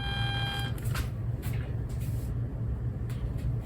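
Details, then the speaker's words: Sharp QT-12 boombox with an added Bluetooth board, no signal playing: low rumbling hum pulsing about twice a second, interference leaking into the amplifier; several fixes tried made no difference, cause unconfirmed. "but you can hear some of the interference when there's no signal"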